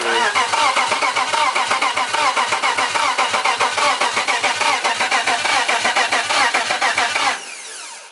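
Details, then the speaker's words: BMW E90 with a turbo M52 swap and a tuned ECU, first fire attempt, with a coil pack pulled to check spark: steady cranking at two to three pulses a second for seven seconds, never catching; crank, no start. "you got a crank nose start which means it's cranking so you don't need to figure out why it's not cranking because it's cranking"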